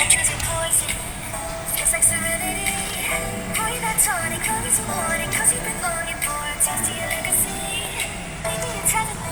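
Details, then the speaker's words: MacBook Pro A1502 after replacing a degraded speaker with cracked cone edges: music with singing plays cleanly, much better than before, no crackle, buzzing or distortion on louder notes; normal speaker playback. "โอเคนะครับเสียงดีขึ้นกว่าเดิมเยอะเลยนะครับผมแต่ไม่แตกเหมือนตอนแรกแล้วนะครับ"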